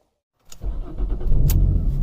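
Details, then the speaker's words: Jaguar X-type no-start: starter cranks the engine over with a low, steady churning, fuel pump not felt kicking in, never fires; owner believes a fuel-related fault, since a full scan showed almost no codes; cause unconfirmed. "too connected not looking good so you can't feel pumped kick in but then it doesn't fire"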